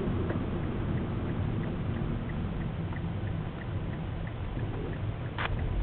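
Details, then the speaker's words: Car coasting: faint, light rhythmic ticking about three times a second from a wheel under soft rolling noise; it mostly stops as soon as gas or brake is applied; cause unknown. "As soon as I hit the gas or brake, it pretty much stops."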